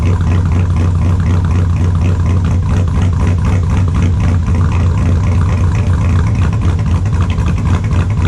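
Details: 2002 Chevrolet Silverado with a built LS engine, super cold start after sitting since Friday: extremely loud, deep, lumpy idle with an even choppy beat that holds steady; normal cold-start idle.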